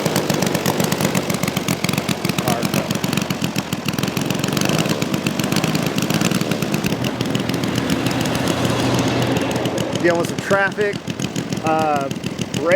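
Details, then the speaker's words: Saito FG-60R3 3-cylinder radial in a Legend Hobby T-28 Trojan RC plane, taxi test: even, rapid firing pulses steady through idle and taxi, no stumbles or misfires; engine running fantastic, normal. "steering's pretty sensitive so I got to deal with that but otherwise engine's running fantastic"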